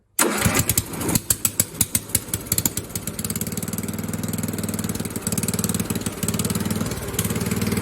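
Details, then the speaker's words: Old single-cylinder non-factory engine on a rewired mud-trailing lawn mower; a few heavy cranking thumps and a backfire, then it catches into a fast, choppy, uneven putter that sounds rough but runs. "she sounds like a turd but it runs"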